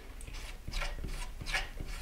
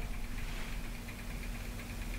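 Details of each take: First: Skywatcher AZ-EQ Avant mount, RA axis pushed by hand with clutch loosened and motor drive disconnected: very stiff motion with a rough, rasping rub about every third of a second; RA worm gear binding, stopping the motor tracking. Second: Skywatcher AZ-EQ Avant mount, RA axis motor drive after backing off the Allen-key tension adjustment to correct tension: quiet, even motor hum with no binding or jamming as the axis rotates; normal motor drive running.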